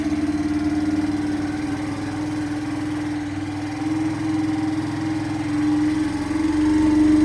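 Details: Kawasaki Bayou quad revived after not running: fresh gas, choke on, started by cranking the starter directly since the start button is not working. Steady single-cylinder putter at fast idle, even beat with slight surges; normal idle.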